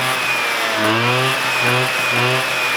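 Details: 1987 Honda Aero 50 two-stroke scooter on first start, ignition relay missing, throttle held slightly because idle not yet adjusted: fires cleanly and buzzes steadily at fast idle, pitch rising and falling with throttle blips. Normal running.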